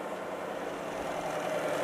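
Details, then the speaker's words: BMW 316 budget EV conversion, series-wired motor on a 12V booster pack, in reverse: smooth even whir, wheels turning backwards and slower, no knocks, clunks or grinding; drivetrain healthy. "again we're not getting any bad sounds over the drivet"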